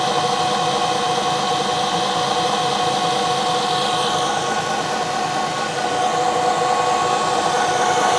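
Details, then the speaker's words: 1 HP Bridgeport R8 milling head on a converted planer, 5-inch 45-degree face mill, slower speed, finish pass on bar: steady, even cutting hiss over spindle hum, no chatter; smooth cut. "I'm running a lot slower than I was speeding before and very nicely and I chose to go with a 45 degree cutter instead of a 90 degree"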